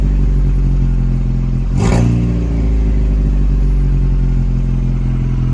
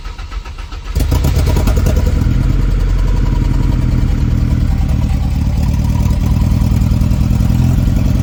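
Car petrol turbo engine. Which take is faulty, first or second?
second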